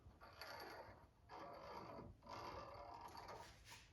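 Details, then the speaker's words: 1986 Honda ATC250R fork rebuild, pumping the fork after adding fluid to bleed air from the valving: quiet even hissing swishes about once a second, no gurgles or clunks; smooth action. "we've about got a smooth action now so"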